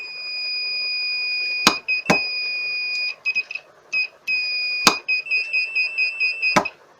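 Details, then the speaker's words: Repaired Lawn Flite mower starter solenoid bench-tested with continuity tester: crisp contact clicks each time power is applied, with steady high beep confirming continuity; solenoid switching properly after repair. "and the continuity is there so it is now a functioning solenoid"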